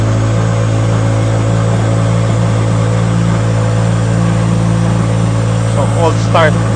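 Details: Turbocharged new-generation Subaru BRZ, first cold start after bolt-on turbo kit install with oil cooler and full-weld charge pipe: steady low drone at cold idle, even, no knocks or rattles; no check engine light, healthy.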